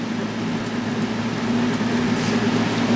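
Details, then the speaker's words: Kenmore 20" box fan model 258.32062310, dirty and possibly slightly warped blade, on low speed: steady low hum with rattly shudder about two beats a second; fan shakes noticeably, not outrageously loud. "Here's low. Well, it shakes, I'll give it that much."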